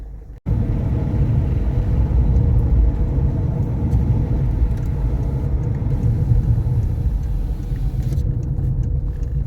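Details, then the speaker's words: Peugeot 407SW road test after front CV boot replacement: steady road rumble, engine pulling evenly, no clicking or knocking from the front end; earlier knock resolved. "pretty happy with that so no knocks no bangs um the car runs and drives as it should"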